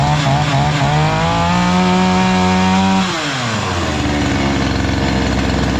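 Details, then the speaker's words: Chinese-engined two-stroke brush cutter that previously would not run, after repair: buzzy, pulls hard at high revs, then drops smoothly to a lower steady speed without stumbling; normal running. "evet Arkadaşlar gördüğünüz gibi basit bir işlem de motor çok değişiyor"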